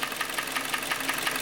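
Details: 2014 Kia Cerato 2.0, 166,531 km, engine uses oil: sharp metallic ringing taps about six per second over the idle; shop suspected the timing chain; piston slap from scored cylinders.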